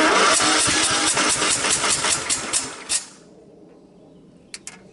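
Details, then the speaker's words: Craftsman LTX1000 tractor, about 2000-2001, 18Hp OHV Kohler, weak compression, carburetor changed, no starting fluid: about two and a half even cranking pulses a second for three seconds, no firing; cranking no-start, owner suspects blown head gasket. "to me it sounds like a blown head gasket what do you guys think"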